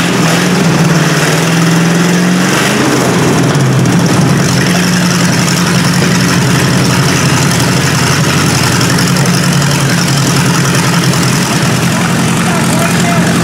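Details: 1953 Hemi V8 with its old carburetor idling on a first start: deep, steady low rumble with an even beat, no knocks or misses; normal healthy idle.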